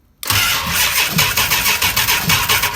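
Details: Challenger engine being cranked via a trigger wire on the starter solenoid while the ignition is wired up: brisk, even whirring crank with steady compression pulses about five times a second; starter spins the engine over strongly, normal cranking.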